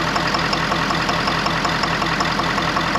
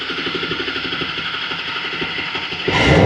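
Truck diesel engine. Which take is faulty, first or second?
first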